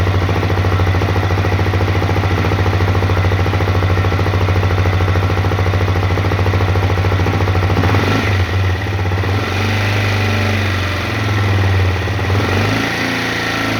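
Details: Honda CRF250L single-cylinder at idle: steady tapping knock on each beat, roughly three a second, shifting as the throttle is blipped; engine knock, cause undetermined.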